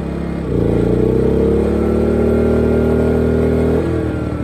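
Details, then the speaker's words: Small 2000 W inverter generator running a camper AC on low cool, before fitting an SPP6 hard start capacitor relay; engine note jumps and strains as compressor kicks in then drops, overloaded, probably tripped out. "you can hear the little generator but it just didn't have enough oomph and it probably just tripped it out maybe you could see in the other video the little red light came on which means that it was drawing too much and it bogged the engine down shut itself off"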